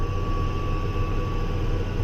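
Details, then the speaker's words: Case 305 diesel tractor pulling a disc in wheat stubble, new exhaust manifold gaskets fixed earlier ticking: steady high chirp over the low drone only under load, gone when load removed; cause unknown. "however you hear that little bit of kind like that uh chirpy sound I guess some outside view of it you'll hear it I'm not exactly sure what that is can kind of weird as soon as you put the load on the tractor you'll hear that"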